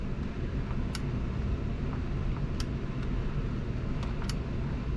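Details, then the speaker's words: Trane Oxbox heat pump installed as AC only with Nest thermostats and a zone board, with outdoor sensor at 69°F and supply plenum discharge air sensor at 72°F: steady low whoosh of air with faint clicks. Normal blower running. "tells me our dat sensor on our supply plenum is reading 72 degrees which is about what it is inside the house you hear the blower running now"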